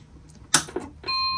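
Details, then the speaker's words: Macintosh Plus with a new logic board and a newly built Rominator ROM board. A couple of clicks at power-on, then the clean, steady multi-note Rominator startup chime: starts up and boots normally. "you're going to hear that cool raminator startup chime there it's going to ask me to hold down the r button which i will just waiting for it takes a minute here to do its thing"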